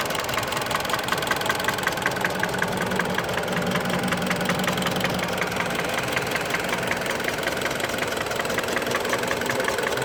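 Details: Mitsubishi Lancer X, 4B10 1.8 engine, warm, at idle: sharp even knocking about two to three per second over a dry clattery background; knock occurs only when warmed up, and the owner does not know the cause.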